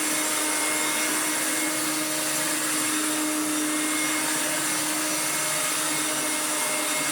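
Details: Restored Hoover Turbomaster Electronic upright vacuum on carpet after new motor and brushroll bearings and full clean, strong airflow; steady high motor whine with smooth even brush hum, no rattles or surging; normal running.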